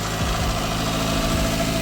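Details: Toyota Corolla (wrecked) at a steady, fast idle that holds at the same raised speed without dipping or hunting; idling too high, owner suspects the air pipe into the intake manifold or throttle body sensors, engine had been overheating; cause not confirmed.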